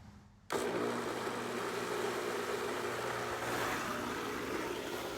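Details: Intex pool pump after repair of its broken motor balancing rod, with valves opened and no leaks. Switches on sharply and settles into a steady, even hum with water rushing. Smooth and quiet, no rattle, running normally.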